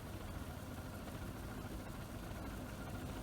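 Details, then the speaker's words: Leslie 145 rotary speaker during mechanical overhaul, switched on: steady low rumble with even hum, no knocks or scraping; a bit of shaking causes the expected flutter. Rotor running normally. "I'm happy with that. Bit of shaking going on there. Nothing more than you'd expect. That's why you hear the flutter."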